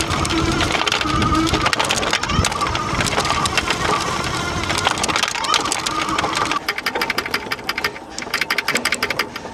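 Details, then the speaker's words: Aipas M1 Pro fat-tire e-bike (1800W motor) ridden over bumpy yard: busy uneven clattering from the loose motor controller rattling in the frame; later fixed with foam pads at its corners. "Now, when I first got this bike, I took it for a ride around the yard, and the controller was making all kind of noise in the frame, rattling around."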